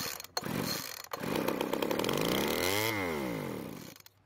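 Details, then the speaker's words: Poulan Pro blower vac small two-stroke with low compression (about 135 psi with oil in cylinder): catches, buzzes up to high rev, sweeps down and dies after a few seconds; fires and runs, so reassembly can proceed. "so it started and ran for a second and that means i can start putting the rest of the engine back together"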